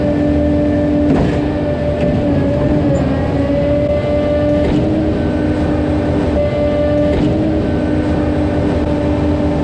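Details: Concord 40 m Z-boom concrete pump that plugged on prime-out: a steady, high-revving engine drone with a dull thump every couple of seconds as the pump reverses and forwards to clear the plugged line.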